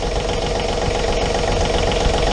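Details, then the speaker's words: John Deere 3520 tractor diesel, brief start after engine oil and filter change (John Deere oil) to fill filter and confirm pressure: steady even idle with firm low chug, no knocks or misses; oil pressure light goes out. "Alright, the oil pressure light in the dash just went out."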